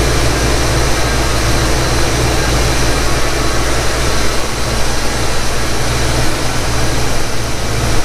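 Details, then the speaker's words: 1991 Ford Mustang GT Foxbody convertible V8 after cold start, following throttle body cleaning and overhaul; deep, steady idle with even low rumble, no hunting or stumbling as it settles; previously hunted for idle, now fixed; normal idle. "that's a heck of a lot better than what it was before i'll tell you that much yep that fixed it"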